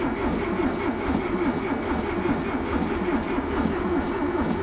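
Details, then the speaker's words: VW bus that sat 31 years in a field, cranked slowly on starting fluid with a light spark: an uneven, lopsided beat with one cylinder puffing without compression and no cylinders firing, suspected stuck-open valve. "of the valves is stuck open, I can hear it."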